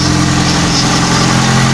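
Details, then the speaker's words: Honda Civic 8th gen with a swapped engine, idling right after the first-crank start once the original computer went back in and missing bolts were fitted. A steady, even idle hum with no misses, ticks or surges. A little smoky, possibly from the swap. "first crank boys first [ __ ] crank car is a little Smokey I don't know from the whole swap thing"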